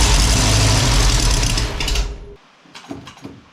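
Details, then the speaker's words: Ford Falcon wagon with a swapped SBF 302 V8: the engine catches and holds a strong, even rumble for a couple of seconds, then shuts off cleanly. Starts and runs normally; cam break-in still to do. "okay [Music] okay good deal she's firing she's running we got a few things left to button up on it"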